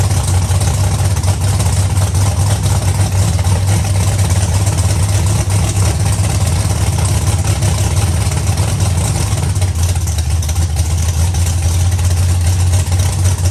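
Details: Big-block Chevy Nova V8 first fire-up after updated ignition and nitrous control: deep, steady rumble settling into an even idle, no misfires or knocks. It runs and sounds good, nitrous system and wiring work; normal idle.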